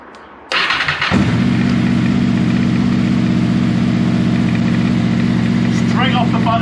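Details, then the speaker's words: 6th-gen Honda VFR800 VTEC V4, first start after a valve clearance inspection and reassembly: cranks two or three times, catches at once into a smooth, steady idle with no misfire or rattle; not revved until oil circulates, oil light out. "it cranked probably two or three times and as you can hear it's running absolutely beautifully"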